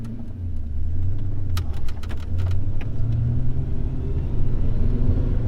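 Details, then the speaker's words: HSV VS Clubsport rear end after a second-hand differential swap (axles replaced earlier): steady low drive rumble while rolling, no whine, howl or clunk; only normal driveline vibration remains. "I would say that it is just normal Drive Line vibration that is left"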